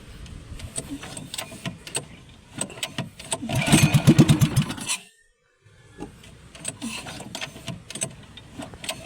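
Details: Small boat engine started after cleaning and light oiling against rust, with nearby work noise; fires up with uneven popping bursts settling into a rough running beat, a normal start.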